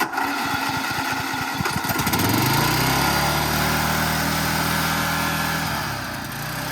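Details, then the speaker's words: Toro Z5000 Timecutter zero-turn with Kohler Courage 21 engine, throttle stuck about half open: catches with a few uneven pulses, then climbs to a high, steady scream and stays there, racing far above normal speed. "It just seems like this thing is kind of running wild. And maybe it's just 0 turns. Like it's spinning too high? Yeah, too high, or like it just."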